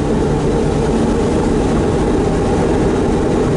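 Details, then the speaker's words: Van driving straight, front-end noise getting worse each trip and louder when turning: a steady, heavy low drone underneath. The owner suspects the four-wheel-drive front differential, not the transfer case, since 4WD is not engaged, and plans to check its oil; unconfirmed. "think you can hear it pretty good now and this is just going straight it's still doing more and more if you're turning but it's making a big enough noise now just going in a straight line"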